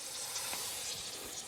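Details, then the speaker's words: Kioti CK2610 tractor rear tire being ballasted with RV antifreeze: steady airy hiss with slight sputter as air is bled from the tire valve so more fluid can go in; normal. "I'm bleeding the air now out so I can put more fluid in. Hope you can hear it."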